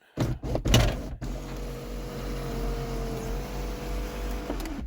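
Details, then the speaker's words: 1989 Lincoln Town Car Signature Series moon roof motor giving a steady hum that sags and strains near the end of travel. The roof drags and has to be helped closed. "see that where the how the moon roof gets real draggy right there at the end and it makes that noise coming back you got to kind of help it"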